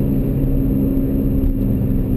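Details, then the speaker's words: BMW E46 M3 with about 95,000 miles, heard in the cabin at about 40 mph: a steady low droning hum that worsens with speed, from the failing original front left wheel bearing. "at about 40 m hour I can start to hear resonance that's coming primarily from the front axle it's all it's just the front left wheel bearing failing"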